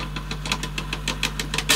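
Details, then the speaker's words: 1980s Teac CX210 cassette deck during belt service, winding (likely rewind). Light regular clicks about five per second, then a grating burst before it stops. A little white plastic spring part moves as it clicks; owner suspects slipping reel gears. Cause unconfirmed. "I can see this little spring white plastic thing moving around a bit as it clicks"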